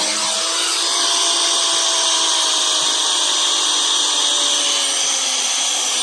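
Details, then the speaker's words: Old pneumatic impact wrench, found in a building and taken apart to fix, test-run at under 40 psi instead of about 120 psi: high airy hiss and soft motor whine sagging in pitch, spinning weakly with almost no torque; starved of air pressure. "so I guess you've run better in a 120 psi but uh yeah it's only like lesson 5 at 40 less than 40 psi"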